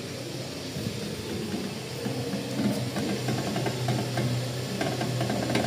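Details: Toyota Altis in drive, hand brake released and foot brake lightly held while steering is turned at creep: low, uneven groaning rumble with scattered creaks, worse after a car wash; normal disc-brake noise found on most cars.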